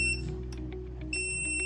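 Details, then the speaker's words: Rosefinch 6.0 kW drone tether power station on backup battery at 91% capacity with AC off: piercing high beep that cuts out briefly and repeats over a low fan hum, the alarm warning that there is no AC input. "This alarms because this machine now not turn on, haven't turned on the AC, so it alarms."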